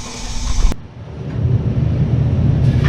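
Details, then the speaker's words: Whirlpool Duet washer WFW96HEAC0 spinning after replacing the broken motor rotor bolt that had let the rotor scrape the tub: click, then a smooth low rumble building as the drum changes direction, no banging or scraping; spin normal. "tarts to spin spinning this is way better before it was so noisy you couldn't even be in here"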